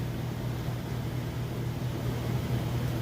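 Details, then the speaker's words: Maytag oversized-capacity top-load washer with a heavy load on the regular cycle, high-speed rinse spin: steady low hum and even whirr, no knocking or scraping; smooth, normal spin. "it's on its high speed rinse spin at the moment you can see it's nice smooth"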